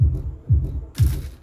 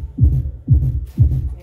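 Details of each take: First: Kita subwoofer box: deep bass thumps about twice a second, each with a buzzy rattle; the cabinet's wooden panel has come unglued and vibrates, stopping when held firm. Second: Kita subwoofer box tested with speaker refitted, playing from a pendrive: deep bass thumps about two a second land cleanly with no rattle or buzz from the cabinet; normal subwoofer playback.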